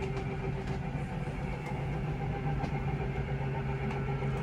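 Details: Forest River Surveyor Legend 240BHLE power slide-out extending from the control panel by the front door, stabilizing jacks down: steady low electric-motor hum with a faint even whine, no grinding.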